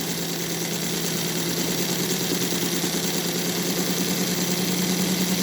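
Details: Model train extended K5 tender on 3D-printed NGS Northern clone chassis, all-wheel pickup, throttle rising from 70 to 80 percent: even steady whir climbing with speed, no gear noise, knocks or catches; smooth running.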